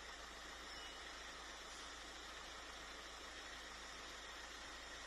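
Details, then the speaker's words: VW Caddy 1.9 TDI (BJB/BLS) turbo diesel, cranking no-start fixed after refitting an intercooler pipe: starts first try, then a steady, even, smooth idle with no misses, knocks or hunting; normal idle. "as you could see there we got the engine to start straight away it was right bang on the button first try no hesitation"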